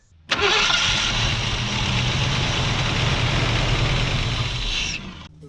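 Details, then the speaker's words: 1968 Ford Mustang barn find that sat 30 years, fuel line dropped into a jug: the engine catches, runs rough for a few seconds, then cuts out. The owner suspects the fuel pump is shot, since it only stays alive on carb cleaner. "I'm pretty sure our fuel pump is shot, cuz she's only staying alive on the the carb cleaner."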